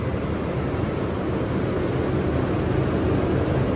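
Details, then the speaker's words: Toyota 5.7L 3UR V8 (Land Cruiser LC200/Tundra/Sequoia/LX570) idling right after replacing spark plugs: steady even low rumble with no skips, misses or out-of-order firing; idles smoothly. "Nothing sounds like it's firing out of order. Everything's good."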